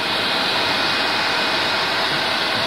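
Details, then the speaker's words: PS4 Slim with an overheating problem, before disassembly and cleaning. Steady, loud airy rush with no rhythm or pitch change, the cooling fan pinned at top speed from running hot; an overheating message is expected shortly. "the fan is exceeding its speed and it is on top speed now after a short while it will give a message of overheating"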